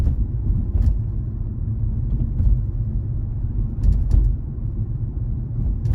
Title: G20 M340i metallic clicking noise from trunk area